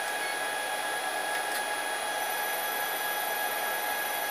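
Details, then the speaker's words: New 2200 W spindle with VFD on upgraded 6040 CNC, commanded 250 rpm; steady airy hiss with faint even electrical whine, still good torque for an edge finder: normal low-speed running. "there's 250 still got a good bit of torque so that's good enough for me to run an edge finder"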